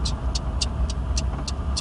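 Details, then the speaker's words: Worn V6 car bought for under $1000: crisp regular ticking, three or four per second, over engine and road rumble only when accelerating, not at steady running; owner suspects a header gasket leak; exhaust worn and loud. "I'm pretty sure that the header, or headers, I guess it is a V6, so the headers, there's a header gasket leak, I think, because whenever I accelerate, there's a nice little ticking."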